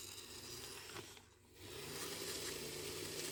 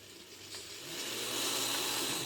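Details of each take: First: Kato N scale Alco RS-2 locomotive after lubrication: tiny motor whirs up and down in pitch as it speeds and slows, earlier squeal gone; runs smoothly now. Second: Kato N scale Alco RS-2 locomotive on analog power pack, first test run; tiny motor whir with rising high hiss and thin squeal building as it speeds up; dry commutator "death squeal", not a very good running locomotive.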